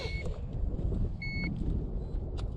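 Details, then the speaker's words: 2020 KTM Freeride E-XC electric dirt bike at the end of a muddy battery range test (51 min 5 s, 18.8 miles): short high beeps about one second apart over handling noise. Code 11 means the battery is fully depleted. "the bike is dead throwing a code 11 which means the battery is officially dead and so am I"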